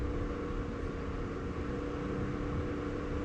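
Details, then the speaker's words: Mitsubishi Evo at key-on after installing AEM boost, AFR and oil-pressure gauges and reconnecting the battery: a steady whooshing drone with a constant hum. Owner thinks the fan is running, reason unknown. "Something is going crazy. I think that's the fan. I don't know why though."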